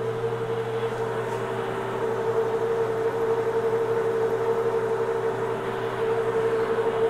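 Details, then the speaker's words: Homemade hobbing attachment gearbox on its first run under power at dead slow speed, without oil; smooth, unbroken drone at a steady tone, no clicks, rough patches or binding; runs normally. "slow under power for the first time that's not bad I'm going to run the speed up just a little bit doesn't seem like it's binding anywhere"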